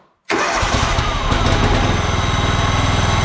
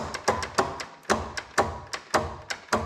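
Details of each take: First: John Deere LX186 riding mower with a 17 hp Kawasaki engine on an auxiliary fuel tank, restarted after the air cleaner was refitted, fuel shutoff solenoid still dripping: it catches within a second and settles into a steady, even thump; it runs smooth. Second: John Deere LX186 riding mower with a 17 hp Kawasaki engine, seat switch disabled, parking brake on, on jumper power: sharp single clicks about every half second with no cranking; the solenoid clicks but the starter does not turn the engine.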